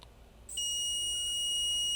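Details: Dell G15 5530 laptop, about a year old, dead after a RAM upgrade from 16 to 32 GB: shrill steady bench-supply beep while injecting voltage, drawing about 6 A at half a volt into a shorted rail; liquid metal suspected near the hot corner.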